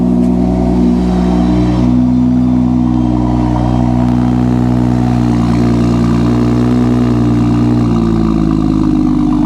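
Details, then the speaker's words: Early manual BMW M2 from salvage auction, about 33,000-38,000 miles, service due, just started cold: crisp even revving, pitch climbing and settling cleanly with no knocks or stumbles. Normal cold revving. "Yeah. It's a good one. Yep, nice car. Nice car indeed."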